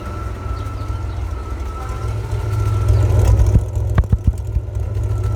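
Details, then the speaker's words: Ford F-series highboy truck with a freshly fitted V8 and gearbox, replacing the old engine that threw rings and leaked oil: deep steady burble that picks up briefly, with a few clunks near the end; runs fine, carb and timing still need tuning. "let me just let you hear how she sounds because people might i still need to chew in the carb and the timing a little bit but bear with me"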